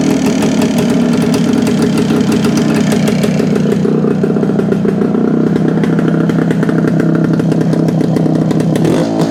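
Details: 1972 Suzuki TS250 two-stroke after carb work with 170 main jet fitted: crisp, even crackle at idle and blips, picking up cleanly without bogging; sounds more responsive; normal running.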